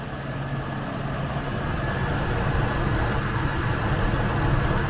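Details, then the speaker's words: Ford F-150 4.2 L V6 after a smoke test found an intake vacuum leak, fixed with a new O-ring: even, steady idle with a low settled hum, no stumbles or shakes; the rough idle is gone. "man it's running smooth as silk now there is zero rough idle"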